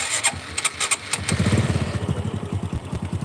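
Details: Supra 125 single after connecting-rod repair, start and idle check: starter whirr, then quick even putter with no tick; the former tek-tek-tek noise under throttle is gone; normal start and idle.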